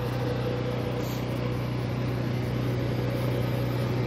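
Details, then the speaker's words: Maytag machine during spin after clogged, wet ductwork was found: steady, even low hum with no knocks or scraping. Spin is strong and shaking, and the clutch appears good. "i'd say the clutch is good because she's shaking i don't think i'll try to stop that that's pretty powerful"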